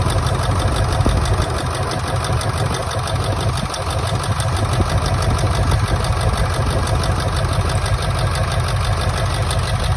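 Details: 1999 Ford F-350 7.3 Powerstroke diesel idling rough: deep lumpy beat stumbling unevenly, a cylinder dropping out; injectors unplugged and oil outlets checked, one showing no oil; injector misfire suspected, not confirmed.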